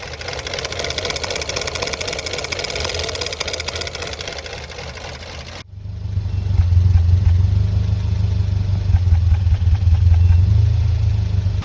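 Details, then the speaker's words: 1990 Renault 5 1.4 CAT, C3J engine, monopoint injection, at operating temperature: heavy lumpy idle with uneven thumps, running on two or three cylinders and stalling; misfire from a faulty distributor cap. "Mais quand il atteint la température de fonctionnement, il démarre il commence à trembler massivement, ne tourne que sur deux ou trois cylindres et finit par s'éteindre complètement."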